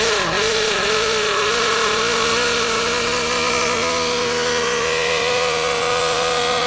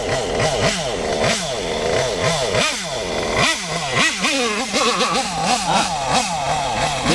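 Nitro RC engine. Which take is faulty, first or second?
first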